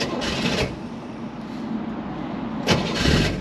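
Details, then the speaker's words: 1966 Chevrolet Corvair Monza convertible, started in neutral with parking brake on and no pedal input: brief crank and quick catch into a steady, even idle with no stumbling; starts impeccably, well adjusted. "voilà encore une fois sans action sur la ce qui prouve que elle est bien réglé qu'elle démarre impeccablement"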